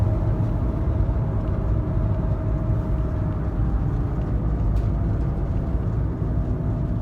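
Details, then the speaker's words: Peugeot Partner driving with a steady low droning hum from a worn front wheel bearing, gone and picked up inside; replaced. "Turns out this front wheel bearing here is noisy. The bearing's gone, it's picked up inside."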